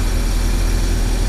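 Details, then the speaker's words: Proton Wira after fuel pump replacement, idling while fuel hoses are checked for leaks: deep, smooth, even idle with steady low rumble, no knocks or misses; engine healthy, fuel pump OK. "Oke, kita start. Oke, okay, engine dah hidup. Nah, fuel pump oke."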